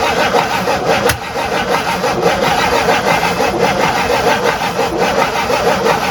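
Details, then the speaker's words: Abandoned 1958 Super engine cranks with an even churning rhythm but never catches; distributor installed 90 degrees out, corrected by finding top dead center and moving the wires. "okay found out that problem we were 90 degrees off on the distributor so i just did the right thing and moved all the wires"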